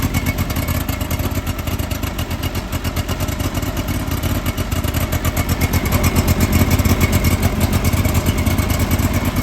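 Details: John Deere 425 garden tractor, sat for years, new starter, restarted: engine chugs with an uneven, stumbling beat around 111 pulses a minute, sputtering and smoking with an oil smell; cause unknown.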